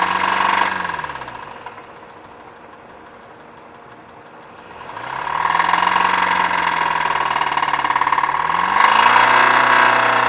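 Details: 2008 Hyundai Sonata at idle, hood open, code P0011: steady fast even tick nearly four per second over the engine; source not pinned down, someone suggested the motor is blown.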